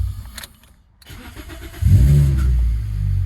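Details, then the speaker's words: 2005 Toyota Corolla XRS, starter and battery tested good, terminals and grounds cleaned; light clicks with no crank, then the starter spins and the engine catches on the next try; intermittent starter engagement, bad ground suspected, not confirmed. "starts off real fine but sometimes it does do that little click trying to get it you see for the second time i'll crank it up weird"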